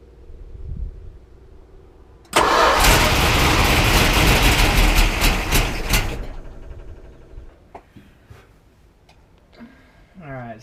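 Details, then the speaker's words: 1973 Plymouth Cuda 340 small-block V8 started on starter fluid: brief cranking, then roars to life for about four seconds and dies on its own; fuel pump heard running, fuel pressure unknown. "it died instantly obviously as you guys can see that let's try they're"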